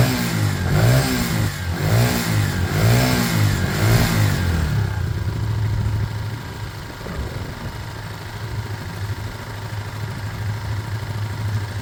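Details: Small single-cylinder motorcycle from a project (Herald Classic 125, or possibly the Lexmoto Michigan) warming up: four clean throttle blips that rise and fall, then it settles into a smooth, even idle. Normal running and revving.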